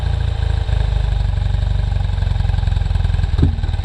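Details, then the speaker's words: 1973 BMW R75/5 twin motorcycle, not run since 2015, with a suspected fouled spark plug and old oil. Steady, even, low thumping idle with no misses or knocks; running cleanly. "This thing is running great. Definitely got a problem with the spark plug there. But, you know, nothing a little bit of maintenance won't fix."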